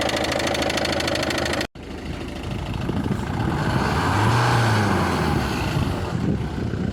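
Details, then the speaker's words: Ford Focus 2, 1.6 diesel, idling with a regular low knock about three per second under the clatter, then revved and dropped back; from above it sounded normal at first, later the tick moved up and became clearly audible; cause unknown. "Сток Ну уже по-моему этот звучок уже наверх перешёл ух да ну здесь отчётливо стока этот отчётливо цокает конкретно"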